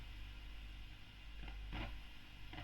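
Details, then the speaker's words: 2008 Fender Bassman 59 reissue on current limiter during service, speaker distant from mic: low steady hum with irregular crackling, sizzling frying bursts; suspected faulty preamp tube, likely V1, sockets already cleaned. "It's a bit of frying. Not sure where that's coming from. I have cleaned these sockets. Right, that appears to be running. Okay, of frying. Yeah. So, that's probably a preamp tube."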